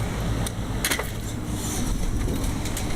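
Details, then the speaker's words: Dining room rooftop AC unit, blower motor not working, compressor not running: sharp irregular snaps and cracks over a steady roar; suspected belt issue in the blower drive, cause unconfirmed. "we go here the cracking and snapping and let me go get my tools"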